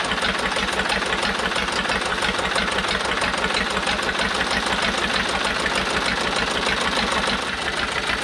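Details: Cheap old Detroit two-stroke diesel dozer, sat with one cylinder full of water, running on only 2 of 4 cylinders; rough, lumpy beat with uneven knocks and missing firing pulses while warming up: dead cylinders, smokes and blows oil; Bon Ami honing planned.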